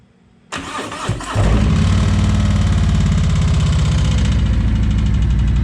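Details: 2020 Harley-Davidson Road Glide Limited just after a fuel filter replacement: the starter whirs briefly, then the V-twin catches quickly and settles into a steady, even, lumpy idle with no knocks. It runs healthy.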